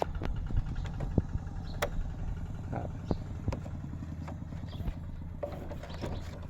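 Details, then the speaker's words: 2003 Honda Wave 100, stock engine: soft, steady, quiet low putter at idle with a few stray outside clicks; normal idle. "โอ๊ยรถรถผู้ญิงใช้นะครับไปผู้เก่าเพิ่นนั่นครับเครื่องเงียบๆบนิ่มๆใส้งานยาวๆครับ"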